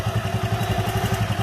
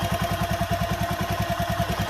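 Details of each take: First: Honda Megapro single-cylinder engine fitted with a new GL Pro CDI timing chain, idling hot with about fifteen even thumps a second and no rattle. The old chain rattled when hot. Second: Honda Megapro single-cylinder, engine still cold at idle: a light metallic chatter over the even thump from the worn timing chain, louder when hot despite tight valve adjustment; it was replaced with a GL Pro CDI chain.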